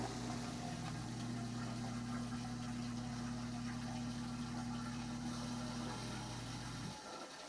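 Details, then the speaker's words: Liberty sewage pump with a quiet check valve hums steadily for about seven seconds, then shuts off cleanly with no thud or bang; normal pump run. "Yep, there it goes. It's quiet."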